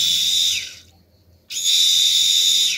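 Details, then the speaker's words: Peugeot 106 1.6 8v NFZ fuel pump, rebuilt after months unused, bench-run nearly empty after being lifted: two shrill steady whistles about a second each with a short gap; cause unclear. "le bruit? Qu'est-ce qu'elle a? On dirait un film d'horreur."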